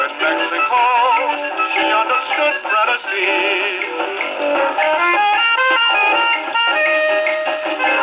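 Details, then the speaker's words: Rebuilt HMV No. 4 reproducer with owner-reported buzzing and distortion, isolator gasket modified, played on Victrola VV-50 with new mainspring, slightly worn record: clean playback with light wear hiss, no buzz or rattle; reported fault not reproduced. "Well, I have to admit this one's got me a bit stumped. I'm not getting the buzzing and distortion. The record's a little worn, so that's expected to have some, but..."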